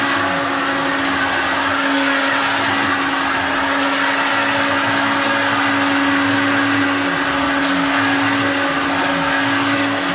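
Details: Hoover Turbopower Junior U1222 upright vacuum, motor bearings never changed: loud steady motor roar with a fixed whine and rough gritty edge from worn motor bearings; still works well, new motor bearings should fix it.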